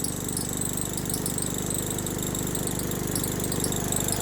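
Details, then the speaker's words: Craftsman riding lawnmower engine after valve lash reset, first start: high wavering squeak over steady small-engine idle, seemingly from the valve train; later faded when driven but returned under load, cause unconfirmed. "Yeah, I don't like that squeak. Seems to be coming from the valve train."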